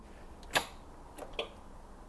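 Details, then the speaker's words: Late-1980s turbo-converted four-door barn find, not driven in decades, spark plugs out and connected to a battery: four sharp isolated clicks with no cranking; the starter motor seems jammed. "okay so that's the starter motor that's the it's jammed isn't it fantastic"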